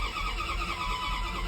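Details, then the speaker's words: 1998 Dodge Ram 1500 5.7L with a new crankshaft sensor and ignition coil: cranks at a steady, even pace without catching; crank no-start with no spark and no RPM signal, and sensor values all read 5V (P0113, P0123, P0463, P1492). "RPMs do not show up there is no spark we have a new uh crankshaft sensor and ignition coil on it"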